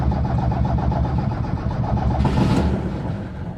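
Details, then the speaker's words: 1978 Lada Niva cold start with choke pulled and accelerator pumped: engine catches and settles straight into a steady, even idle with no missing; runs nicely, a normal cold start. "Like that, straight into idle. This engine is really running nice."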